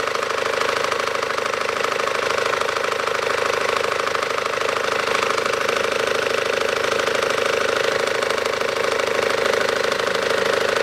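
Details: 2012 SsangYong Actyon 2.0 diesel, manual, 4WD, 77,000 km, idling with AC compressor on, knock appears when AC engages: regular knock about twice a second from the lower belt drive; belt tensioner knock.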